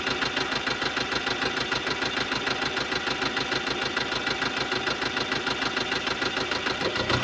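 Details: 2015 Subaru Legacy BR 2.0 diesel (1998cc, 110 kW/150 PS, code FB20), 146,842 km: crisp even ticking about three per second at idle; defective hydraulic lifters, a valvetrain fault.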